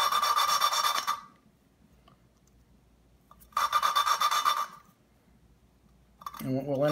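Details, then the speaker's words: 1958 Alfa Romeo 1300cc engine rebuild, hand-lapping a valve with a suction-cup tool and roughly 200-grit compound before assembly: gritty back-and-forth rasping in short bursts. Sound still coarse, so the valve is not yet seated. "you can actually hear the change in sound of the material as it starts to wear together sounds very coarse right"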